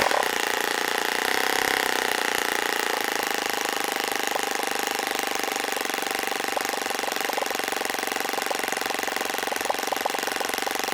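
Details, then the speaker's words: OS FS-26 Surpass four-stroke model engine on 10% fuel with APC 9x6 prop, after tuning: fast bubbly popping idle with steady buzzy drone, holding speed without sagging; idle properly set. "I like to hear that little popping bubbling sound on these four-stroke engines to tell me when the idle sounds about right because it should be kind of bubbly like that"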